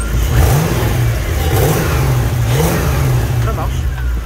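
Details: Lexus IS200 with 1UZ-FE V8 swap, modified Dash/AN6 fuel pump assembly with Walbro 450L/h E85 pump, fuel pressure just under 40 PSI: deep even rumble rising and falling smoothly with throttle blips, no misses or knocks; normal idle and revving.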